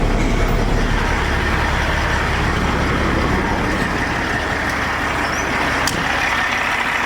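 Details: 2007 Peterbilt 379 after its no-start problem was fixed; loud steady diesel rumble with an even beat around idle, no misfire or knock; truck running normally.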